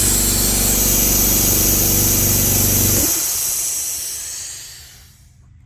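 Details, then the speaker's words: AEG 60 L silenced air compressor with a cheap pressure switch: steady motor drone under a loud hiss of air escaping from under the switch while running. The hiss stops when the motor stops, and the check valve is fine. The faulty unloader valve is stuck open. "there is under here something called an unloader valve right there there is a fault with that it's not working because as the compressor is turned on constantly then it's escaping air like"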